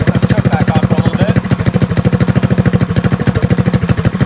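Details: Drift trike small engine after fixing a dislodged clutch set gear blamed for a knock, with a new starter and a weak battery: quick, even chugging with no knocks or skipped beats. It cranks and runs cleanly.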